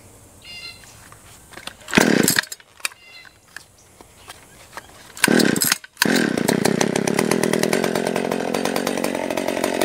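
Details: Stihl 020 AV chainsaw, first run after a carb rebuild, new gasket, clutch, chain and nose-bearing bar: a few blips, then a strong, steady high-pitched snarl under cut, holding revs without bogging; healthy saw, idle later turned up once warm.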